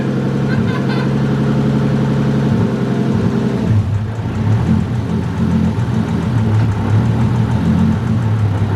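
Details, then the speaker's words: Freshly rebuilt forged 1.5JZ, first start after oil pressure was primed with the crank sensor unplugged: catches and settles into a steady, even idle with a firm low exhaust note and no knocks or misses; coolant still to be bled. "camera died on the iphone now but it's running pretty good i'm gonna get up the temp jack it up get the highest point bleed the coolant should be good then check oil but uh sounds great so far very happy with it"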